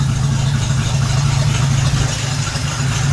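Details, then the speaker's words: 1976 AMC Gremlin, off the road 36 years, restarted after fuel tank flush with fresh gas and Seafoam added, gas poured down the carburetor: even, low steady idle hum with no knocks, misses or surging; idling smoothly. "Let's just crank it over a little bit, see if it starts back up. Looks like it's working. Heck yeah."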